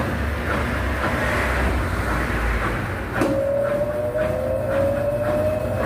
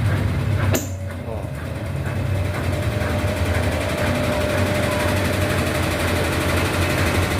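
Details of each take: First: Brastemp BWH15 15kg washing machine, after adding foam where the tub contacted the cabinet to cure loud spin noise (not the bearing): steady whooshing spin with tone rising as drum speeds up, no heavy banging — noise much reduced, normal spin. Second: Brastemp BWH15 15 kg washing machine spinning empty: loud steady spin rumble with a loose, uneven knocking about four times a second, louder with clothes; not bearing, levelling or suspension but a hose slapping the cabinet.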